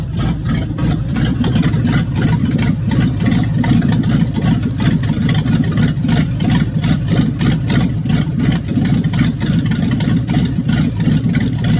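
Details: V8 idling roughly and lumpily, running about 3–4 minutes, with a faint, uneven tapping over the low rumble. Rod knock.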